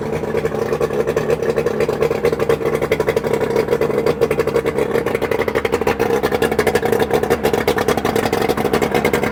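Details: Johnson/Evinrude 130 Looper outboard, first start after rebuild with new pistons: busy, steady two-stroke buzz at fast idle with rapid even pulses, no knocking or misfires; normal running.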